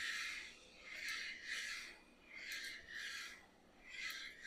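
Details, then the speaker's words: Small-block Chevy 311 build (Eagle 3 in forged crank, H-beam rods, Speed Pro forged pistons, Clevite bearings), rod bolts torqued 63 ft-lb, crank turned by hand: quiet slow ring swishes, no clicks or binding; rotating assembly turns freely. "What I'm going to do is I'm going to rotate this over and just listen for any sounds."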